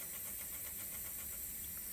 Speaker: we're listening for the pump slowing down I can hear the fuel going in okay pump slowing down that's great looks like the needle Val shut off